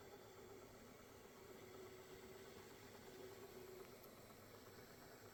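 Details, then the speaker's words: Lemax Family Skating Day Christmas ice rink running with a soft, steady motor hum, faint hiss and no squeak after replacing a weak drive rubber band with a thicker one and greasing the plate. "I was able to test it out and it worked well"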